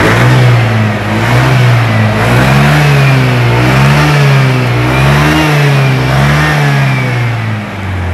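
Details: Honda Scoopy FI scooter, repaired after stalling from a pothole impact (pulser wiring refitted), revs up smoothly with each throttle twist and settles back evenly, no hesitation or cutting out.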